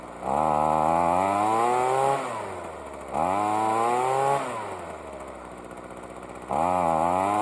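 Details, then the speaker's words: Ryobi two-stroke leaf blower, spark plug refitted and carburetor tuned for a while after a non-start: revs climb then sag and hunt between bursts, never steady; still a little boggy and rough but runs. "so you can see it's still a little boggy but it runs all right"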